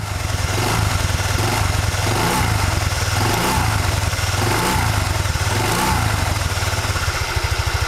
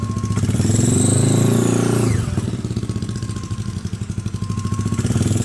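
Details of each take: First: Honda Vario Techno 110 scooter with a Proper Racing Line knurled clutch bell on the original double shoes, CVT cover off, idling with light throttle blips: even single-cylinder idle with no whistle. The clutch bell runs quietly. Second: Scooter CVT with a hard, coarse-knurled clutch bell, compared against a Proper Racing Line bell: engine running with a clear, loud high whistle sweeping with revs over the drive.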